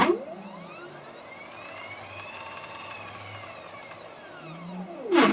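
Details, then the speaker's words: Homemade MDF CNC router stepper axis on a new controller with a higher-voltage power supply, quick seek after maximum feed rate found to be about 60 inches per minute: a smooth whine rises, holds steady and falls as it stops; normal stepper seek. "okay that didn't take too long to determine that looks like the maximum feed rate i can get out of this thing is about 60 inches per minute so just do a quick seek up"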